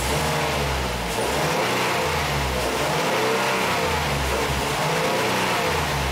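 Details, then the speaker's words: Lincoln MKT after a new fuel pump fixed lean codes P0171/P0174: revving holds smoothly with an even exhaust note and no stumble, and fuel pressure stays above 55 PSI. Fixed. "so as you can see our fuel gauge is staying above 55 PSI so this is good guys this is fixed"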